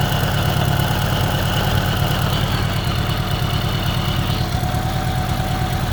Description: 1983 Honda GL1100a ticking on left side